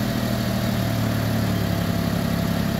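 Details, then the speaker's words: Suzuki Alto after new spark plugs, fixing crank-no-start: even steady engine note, smooth low drone, no stumbling or knocking; normal running. "okay na pwede n gamitin yung unit pero umaandar na po"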